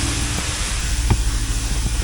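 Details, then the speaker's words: 2016 Dodge Challenger Scat Pack 6.4L, 8-speed auto, 43,000 miles, low coolant: deep uneven idle rumble that won't climb, barely revs with error shown; throttle body problem suspected, unconfirmed. "You can't rev it too. Something's up with the throttle body."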